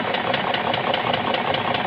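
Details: BMW X5 E53 with M62 4.4 V8 at idle: sharp, even tapping about five times a second, heard on the right side of the head viewed from the driver's seat; engine knock, cause unknown.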